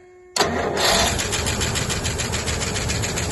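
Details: Rolls-Royce Silver Shadow after its broken ballast resistor wire was bridged with a joiner wire: brief crank, then it catches at once and settles into an even, steady run with no misses; starting normally again.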